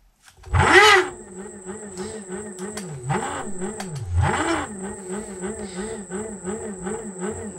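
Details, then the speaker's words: Xiaomi M365 scooter hub motor with one phase wire deliberately disconnected, running on two phases: rough warbling groaning hum with thin high whine, labouring and noisy at start-up due to the missing phase. "Le moteur force, il fait un bruit au démarrage qui est horrible. Pourquoi? Parce que il lui manque une phase."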